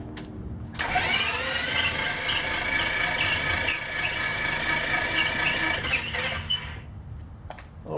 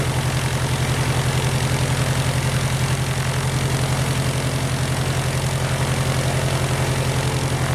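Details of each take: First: Titan IO-340 180 hp in RANS S21 homebuilt, first start prep: ignition breakers out, fuel off, plug wires off, bottom plugs removed; starter spins engine evenly about five seconds without firing, listening for a pitch change once oil pressure comes up; normal dry cranking. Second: Titan IO-340 180 hp in RANS S21, first start, throttle quarter, idle stop fully down: steady, even fast idle with firm low beat, no dip, running too high; idle stop needs adjustment.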